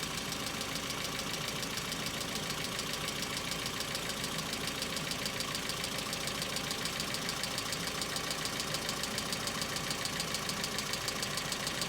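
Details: Hyundai Accent cold start: fast, even light ticking about three and a half per second over cold idle, hydraulic lifter tapping before oil pressure builds; knock comes back in repeated episodes, third building up.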